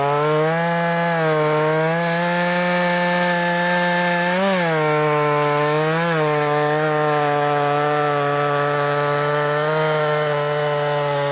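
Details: Brand new, unbroken-in Wemars 6220 clone chainsaw, carburettor leaned from rich factory setting: loud, clean high-pitched two-stroke scream holding revs, dipping briefly as it bites wood then recovering; normal healthy cutting under load.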